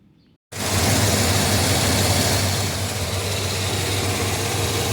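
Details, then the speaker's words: Chrysler New Yorker 360 V8 at idle after a bad exhaust check valve (air injection for catalytic converters) was capped with a half-inch screw cap, curing the exhaust leak noise; now a steady low rumble, much quieter, no ticking or puffing. "and we are much quieter now"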